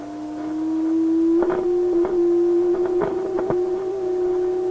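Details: Restored Atwater Kent 944 tube radio that howls when tuned, during alignment: a steady howling tone drifting slightly upward with crackles. An IF trimmer turned too far sends the stage into oscillation; backing it off stops the howl.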